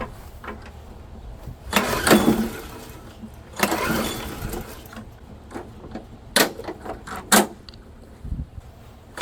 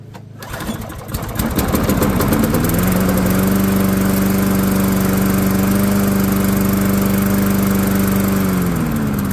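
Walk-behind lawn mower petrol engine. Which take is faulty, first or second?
first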